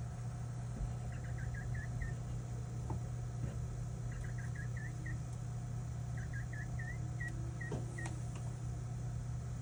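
Short bursts of high, quick chirps, about five at a time, repeat every couple of seconds over a low hum; cause not yet identified.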